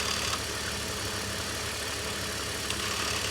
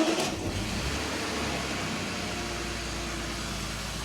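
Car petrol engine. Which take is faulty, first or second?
first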